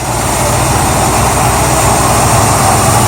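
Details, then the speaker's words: Petrol car at idle, microphone low under the car near the exhaust: loose uneven rattle, no valvetrain noise from the top; owner suspects something broken inside the new catalytic converter, possibly blocking exhaust and causing power loss. "now I'm thinking it had to do with the catalytic converter or something in something internally broke and it was blocking the exhaust that's why it was losing power and still rattled down here"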